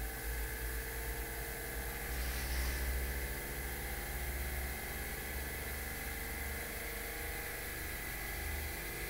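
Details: Pulse motor (potentiometer keeps burning out) running, charging battery voltage climbing with pot working: steady even hum, light regular pulse near three per second, no stumbles; normal running.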